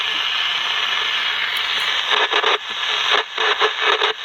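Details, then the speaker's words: General Electric P-815A Deluxe 7-transistor radio during repair, after capacitor replacement: a steady hiss and crackle with brief dropouts and surges and no station; it keeps cutting out, there is still no tuning, and corrosion is seen inside. Cause not confirmed. "Well, we got more than we did. We had more than we did. We still don't have any tuning, but"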